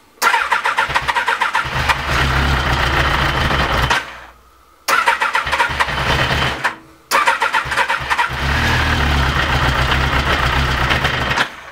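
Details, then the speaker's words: Honda CBR 1000F SC24 after several weeks standing, with long cranking before it starts. It catches in short ragged bursts, stumbles and dies twice, then picks up weakly and unevenly. The cause is suspected but not confirmed. "Now o coś już zaczyna łapać ale jeszcze słabo"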